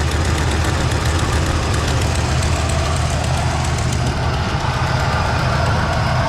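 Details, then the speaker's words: 1967 Buick Skylark with 455 big-block V8, headers and dual exhaust, warm after driving: loping idle with an uneven, inconsistent puffing tick on one side, from an exhaust leak, possibly sucking air. "motor's got an exhaust leak on the other side right in here you can hear how inconsistent it is"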